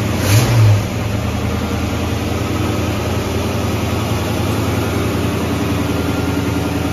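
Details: Ford Mustang carbureted V8; the cause found was an air leak from the wrong gasket under the 1-inch carb spacer: steady, even idle burble with a brief blip at the start and no hiss or stumble, running properly.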